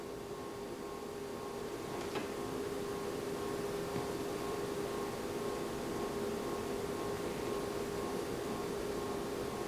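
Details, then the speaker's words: Snell PS 10 300 W powered subwoofer after thermal fuse replacement in transformer, playing music: steady mid-pitched buzz, transformer audibly humming to the beat; owner suspects transformer is on the way out. "Yeah, I'm starting to hear the transform kind of going to the beat of the music. Like I told my buddy, it's possible that this thing is definitely on the way out."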